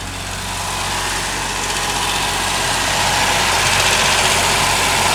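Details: Ford Sierra Mk1 Estate 4x4 Ghia 2.8i after starter work, run briefly with no coolant in the cold: steady, even idle with a bright, fairly loud exhaust note, no ticking or chuffing; runs smoothly.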